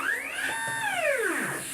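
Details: Homemade JGRO CNC router with the Y-axis stepper upgraded from 80 oz motors, tested in Mach3 motor tuning: the whine sweeps up then drops with a rough stutter as the motor slips steps. Velocity around 65 is too high, so it is being lowered toward 40.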